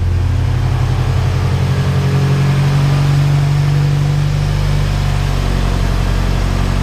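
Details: 1998-spec Integra Type R Honda B-series VTEC engine after valve stem seal and lost motion assembly replacement, warming up: smooth even idle hum, no ticking, revs settle slightly lower after a few seconds; normal idle.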